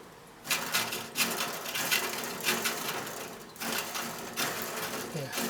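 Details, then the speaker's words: Old-school GT mountain bike rear freewheel after oil was shot into it during restoration: crisp ratchet ticks in uneven bursts, muted as oil works through, then returning; normal pawl clicking. "can hear the oil's working through because the ratchet, you can't hear the ratchet now. Yeah, it's coming back now."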